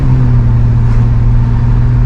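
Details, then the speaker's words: 1992 GMC Sonoma GT, 4.3 CPI V6, after idle-surge repairs, accelerating on a drive loop: smooth, steady hum under load with no bogging or misfire; it feels strong and healthy. A tire squeaks slightly from sitting. "I mean it's 4.3 liter early 90s fast but yeah it's not it feels strong we have what I mean by that it's like it feels healthy it's not misfire no Inspire nothing"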